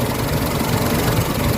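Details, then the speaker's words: Mitsubishi Adventure petrol engine, warm, idling before XADO engine treatment, throttle delay and low power complaint; uneven shaky low rumble that wavers and stumbles as if about to stall, rough idle, cause not pinned down. "Kita nyo yung nangangatalo. Parang namamatay siya, parang hirap siya sa wait, para ma-address natin yung problema ni Sir."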